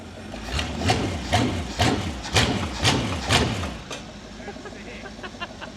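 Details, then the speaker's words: Cub Cadet garden tractor with a 305 Chevy small-block V8, running after fuel was added but before the new fuel pump: deep throaty rumble, revs swelling about twice a second on the hand throttle, then settling evenly, like a boat motor out of water. "Look at that. Sounds like a boat motor out of water."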